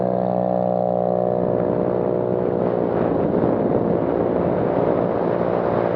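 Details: Scooter with muffler internals blown out on the road, only the empty can left and the tip lost: loud, raw, raspy exhaust bark over a steady engine note with no silencing, from the gutted muffler.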